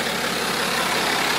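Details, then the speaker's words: BMW 5 GT F07 3.0 diesel (N57) that had stretched-timing-chain noise, after timing chain replacement and oil-leak repairs: even, quiet idle with a smooth, steady tone and no ticking or rattle; engine now runs healthy. "지금의 이제 소리가 굉장히 암전 해요 예 영상에서 두름 약간 좀 시끄럽게 들릴 수도 있는데 굉장히 얌전하고"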